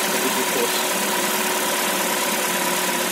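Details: Peugeot 207 1.6 petrol, previously crank no start from immobilizer fault, after unlocking Bosch MEV17.4 ECU: steady even idle with light hiss and faint fixed tones, no knocks or stumbles; normal idle.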